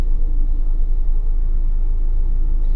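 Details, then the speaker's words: 1998 Mazda Protege 1.5, sat almost 15 years, earlier idle surge and high idle, after about half an hour of running: idle about 50 rpm high, MAF around 2 V; low, even rumble holding steady without hunting; normal idle. "rpms are a little high so we're about 50 rpms to hot but you can see how stable the RPM is now"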